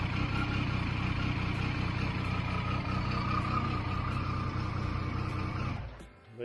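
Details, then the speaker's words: Triumph 900 triple (Trident) engine after alternator rattle fix, bolt refitted with Loctite: steady even low idle with no rattle, then switched off; normal idle. "we go very happy with that let's stop that Rattle and stop that we're in there"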